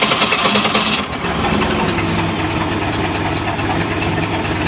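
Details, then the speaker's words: 1989 MerCruiser 3.7L MCM 470, sat over a month, electric choke adjusted: settles into a steady, even idle with no misses; oil pressure about 40 psi at idle. "idle's not bad pressure's around 40 psi"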